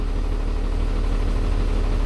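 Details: 2015 Freightliner M2 26-ft bobtail, Cummins diesel, after codes 3328/3526 cleared. Steady, even deep diesel idle with no knocks or misses. Healthy engine.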